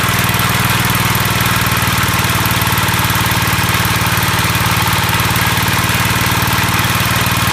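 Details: Gravely 814 single-cylinder engine, which previously locked up while mowing, running a few minutes after refitting: loud hammering about three beats a second with heavy clatter; it then seized, flywheel would not turn.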